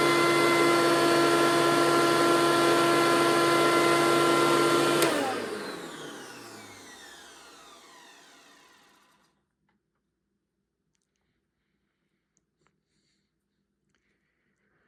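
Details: 2003 Hoover Caddy Vac, reportedly fitted with a replacement motor and upgraded fan, which the owner doubts: loud, strained, multi-tone high whine falling away at switch-off. A failing motor or fan is suspected, and the belts possibly snapped.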